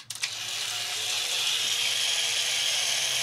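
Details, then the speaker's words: DustBot toy robot tested with its top reassembled, kill switch held down by hand: switch-on clicks, then the small motor and gears whir at a steady high pitch; this unit works perfectly. "we're good to go that one works perfectly"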